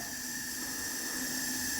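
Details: 1974 Yamaha TX500 that sat 27 years, right cylinder leak-down test: a steady hiss of air escapes at the carburetor, so the intake valve isn't sealing; carboned valve seats suspected.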